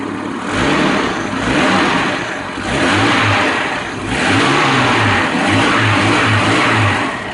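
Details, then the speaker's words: 1989 Jeep Cherokee 4.0L I6 Renix after fuel tank and fuel pump replacement and air purged: engine picks up cleanly on throttle blips and settles without stumbling; running strong. "yeah buddy whoo-hoo that sounds good get it steady"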